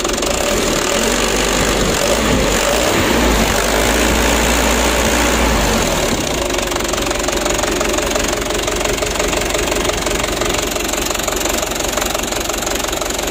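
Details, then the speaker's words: 2010 Mitsubishi Canter 125 PS diesel: rough shaky idle with uneven knock about three a second; injection pump plungers being adjusted to even out the shaking. "Ayo kita matikan dulu dan kita setel kita pergeseran punya supaya goyangnya itu normal ya ya Intinya jangan sampai terlalu parah goyangnya begitu ya"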